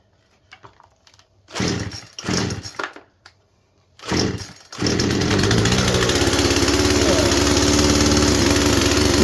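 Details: Poulan Pro chainsaw after freeing a seized clutch with too much tension, on last year's fuel: a few sputters, then catches and settles into a strong, steady two-stroke run that picks up cleanly; normal running.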